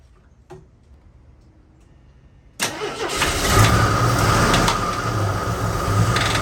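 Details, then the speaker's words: AMC Concord sedan parked 26 years since 1997 over carburetor issues, first start: silent, then catches and runs lumpy with an uneven knock three or four times a second; no oil pressure shown, knock thought top end. "It's got a pretty unique sound going on. Not a good one. Not a good one at all. But it's got some kind of knock."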